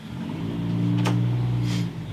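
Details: Harley-Davidson Softail on its first start attempt after sitting at least six years, with a rebuilt carburetor and new intake seals. The starter whirs for about 1.5 seconds and cuts out without the engine catching; a bad ground is suspected afterward.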